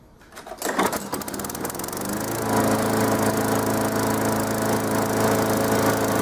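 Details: Lawnmower that was hard starting, after cleaning the fuel, fitting a new spark plug and priming: catches after a brief stutter and settles into a steady, even putter with no misses; normal running.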